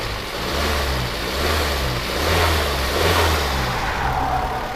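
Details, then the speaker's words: 2018 Daihatsu Terios unused for a week, warmed up: idle surges and lumps unevenly about once a second with low uneven beat and abnormal engine shake, rougher when cold; rough idle, valves suspected, not confirmed. "Ini agak pincang masalah ini. Tuh aja. Deder gitu. Iya. Tuh. Gitu. Harusnya enggak seperti itu sih. Goyang mesinnya memang agak sedikit tidak normal."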